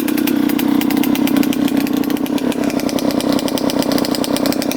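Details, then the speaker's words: 2003 Suzuki RM125 two-stroke before repair: a raspy, rough, uneven beat that stumbles and bogs, with blue smoke. The owner suspects it is running rich; the bog is from a carburetor with a clogged pilot jet. "we'll start this thing up and uh you guys listen for the bog"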